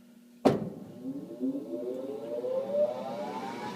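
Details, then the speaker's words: House furnace, flooded a year ago, circuit board replaced: intermittently won't start, then a sharp bang from hitting its side and a motor hum climbing in pitch as the blower spins up. Starts only after being struck; cause unknown. "for some odd reason if I hit it on the side or somewhere on it it'll go on so like a soft hit nothing little harder nothing little"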